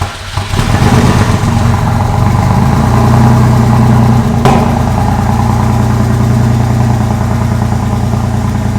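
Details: 2001 Porsche 911 Carrera 4 (996) just after engine reinstallation and timing chain guide replacement: steady, even idle with smooth low drone and no knocks or misses while warming up; normal idle.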